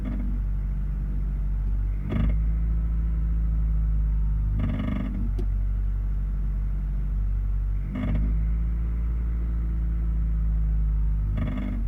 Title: Metal Clanking & Rattling Sound At Certain RPM | Honda Accord | HELP